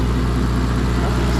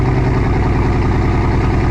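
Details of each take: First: Mazda with header wraps idling after two-cylinder misfire cleared on its own (SRS light still on): low, smooth, even idle with no stumble; normal idle. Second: Petrol engine idling rough with an uneven, loping beat, then shut off; owner reports a misfire on two cylinders, sounding like half the cylinders.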